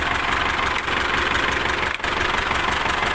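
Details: Isuzu D-Max diesel, hard to start, idling harshly and unevenly with clatter about three times a second; smell of unburnt diesel and water mixing in; signs of a failing head gasket.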